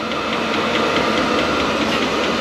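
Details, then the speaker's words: Vevor Chinese diesel heater on its first run, starting at level 3 then turned down to H1 while heating up; steady fan rush with the faint regular ticking of the fuel pump feeding the burner; normal running. "it's heating up you can hear it ticking up getting louder and louder fuel's getting into burner getting ready to take off"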